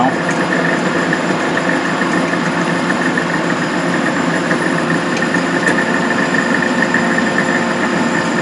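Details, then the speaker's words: Van Wert coal stoker under a Gentleman Janitor JG5 boiler, running on a heat call after six days on pea anthracite: steady mechanical drone with thin high whine; gearbox noise from excessive end play in the input shaft carrying the drive belt and fan. "the uh the input shaft which you got the drive belt on this side and the fan on that side it's got a lot of end play so that's what all that noise is"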